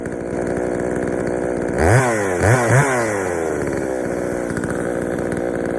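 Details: Poulan 3000 chainsaw, brought in not running, serviced with old dirty fuel drained and fresh fuel added; steady idle then three quick throttle blips with a slightly soft, burbly pickup, low-speed mixture a little rich, to be adjusted.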